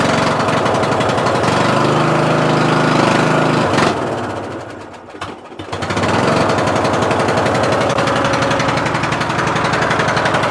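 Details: Murray Select 14.5HP 42" widebody LT lawn tractor, battery charged overnight: heavy, slow labored cranking that sags nearly to a stop then recovers; hard starting. Battery wouldn't charge, weak battery, high compression; starter motor and stator later replaced, valves adjusted.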